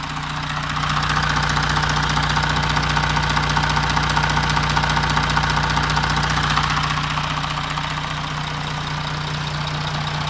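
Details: Audi Q7 4M 3.0 diesel CVMD, 2016, about 170,000 km, idling, listened near timing chain tensioner: steady knock about 2.5 per second, louder at tensioner; chain stretch suspected, tensioners to be replaced, not confirmed.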